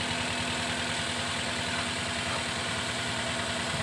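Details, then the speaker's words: Toyota Rush petrol engine shakes at idle, hard to start and weak on climbs; uneven, lumpy idle that stumbles, with engine note changing as checked; mechanic suspects oil-fouled wet spark plugs/coil, not confirmed; rough idle. "Oke Bro jadi mesin mobil ini dia gemetaran kalau hidup saya curiga Sidik oil tapi kita coba lihat KWH ada SIM 1 ya"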